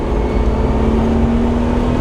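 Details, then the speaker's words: Jeep Wrangler TJ that stalled when accelerating, after cleaning and reinstalling the dirty crank position sensor: full-throttle pull from first gear up past 80–100 km/h on highway, drone rising evenly with no stumble or cut-out. "Already up to 80k an hour. And not a hitch. That's awesome."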